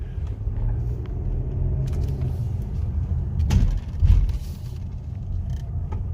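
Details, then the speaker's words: Car with customer complaint of clicking when driving slowly or braking; road rumble with dull thumps half a second apart as car slows: a loose vitamin water bottle rolling back and forth under the seat, not a mechanical fault. "요게 굴러 다니면서 엑셀 밟을때 펑크 이거 주장 아니에요 이거 진짜 손님 거에요 x 밟으면서 펑 브레이크 밟은 소통 앞 뒤로 굴러 다니면서 나는 소리 였어요"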